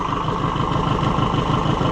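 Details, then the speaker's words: Oliver 550 diesel tractor at steady, even idle during wiring work before being shut down, smooth low chug with no knocks or misses; runs healthy. "I hate to shut it off cuz it's just I like to listen to it. It just makes me happy."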